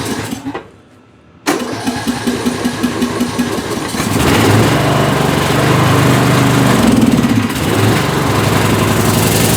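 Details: Bolens M762F lawn tractor after revival, once the fuel shutoff solenoid was powered. After a short cranking burst it fires and holds a strong, even, steady run without stumbling, with excess spilled oil burning off: healthy running.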